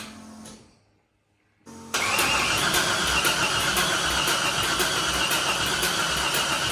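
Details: Nissan D21 Hardbody truck with LS V8 swap, refitted truck intake manifold and troublesome wiring harness: even starter cranking about four turns a second with no firing; cranks but won't start, puffing a little dirty air out the top.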